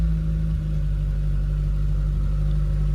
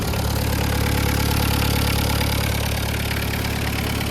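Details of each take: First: VW Polo breadvan carburettor engine, old rubber flange had been leaking, mixture and choke settings still being tweaked; choke off, steady drone idling a touch fast. Slightly high idle. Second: VW Caddy pickup 1.9 diesel, just jump-started on a weak battery, cam belt history unknown; even diesel clatter about 3.5 beats a second, no misses or knocks, no smoke. Normal idle.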